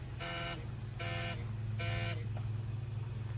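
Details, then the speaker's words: Non-running Volvo being tried on starting fluid, key in: three even chimes about half a second long over a low hum; seatbelt reminder still works. "But the seatbelt reminder inside still works, so that's kind of cool."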